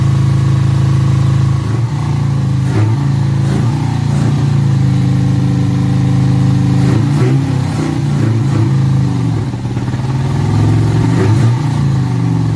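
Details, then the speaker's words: 1986 Toyota Corolla KE70 abandoned for years, first start, got hot fast with no water pump; uneven, lumpy running with the beat stumbling every second or so; owner wonders if the head gasket is blown between two cylinders; rough running. "yeah it sounds like it's running really poorly i wonder how's it blowing through the head gasket into two cylinders which happens on these as well"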